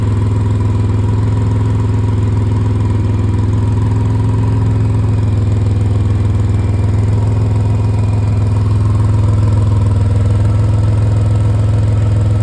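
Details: 2005 Pontiac Grand Prix GTP at steady idle with a quick, even ticking puff about three per second over the low drone: exhaust leak needing repair.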